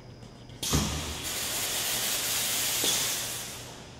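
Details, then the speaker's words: Hunter Pro-Spray sprinkler spray body on a riser in a 100 psi water-and-air surge test, giving a loud screeching rush of water for about three seconds. Normal flow, with no crack or failure through 20 cycles. "wow you can hear the screeching water is it's pushed through the body so quickly first ten cycles no failure second ten cycles still no failure"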